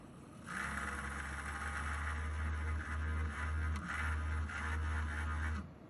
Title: Weird noise coming from PC radiator